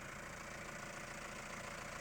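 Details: Mahindra Roxor turbo diesel idling after a Dirt Legal intake retaining bracket was fitted to stop boost leaks: a smooth low rumble with no hiss, puffing or irregular beat. The intake is holding with no leaks; normal idle.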